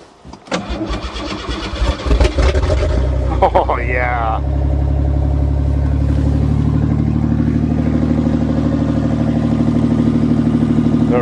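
A few quick cranks catch and the engine fires, then settles into a steady, even idle with no knocks; a clean, healthy cold start.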